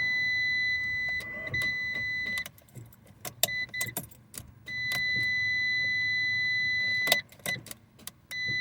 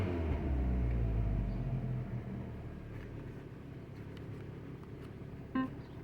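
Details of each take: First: 2012 Fiat 500 at 111,164 miles, after battery charging: several short bursts of steady starter cranking over a constant warning chime; the engine turns over but never fires. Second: 2012 Fiat 500 at about 111,000 miles, just after its first successful start: low, steady idle with an even pulse of about four beats a second and no knocks or misses; it idles and runs good.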